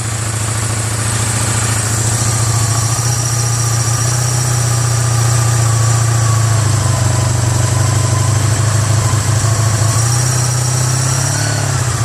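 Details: 1985 Honda Sabre VF1100 V65 V4 that sat four to five years, after a full carb cleaning, with no airbox or filter, funnel-fed fuel, choke off: a deep, steady, even rumble holding idle cleanly. Normal idle.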